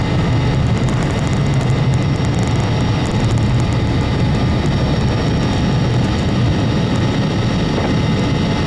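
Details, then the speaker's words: Corporate jet's right TFE731 engine, whose start had been aborting, now starts cool after repair: steady jet roar with a constant low rumble and even whine, no surging or pops, running normally. "starter is engaged fuel is on ignition is on oil pressure is coming up starters disengaged igniters are disengaged nice cool start"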